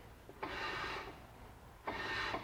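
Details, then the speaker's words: 2007 Jeep Wrangler JK, parking brake shoes being adjusted during brake overhaul after overheating: two short, soft, even scrapes as the rotor is turned by hand; shoes just barely touch the drum, a proper light adjustment. "you can hear it. We're going to go ahead and go with that. It's just barely touching."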